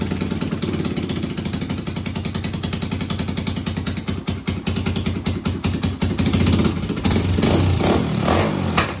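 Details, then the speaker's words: 1991 Honda TRX250X quad barn find, motor rebuilt and timed, carburetor refitted, fresh fuel, exhaust leak mostly fixed: single-cylinder idles steadily, then revs cleanly with crisp throttle response and no chain rattle; healthy. "all right guys well there you have it this thing runs barn fine and yet again another one we've drug in the garage and checked out the whatchamacallits and the thingamabobs and got her running"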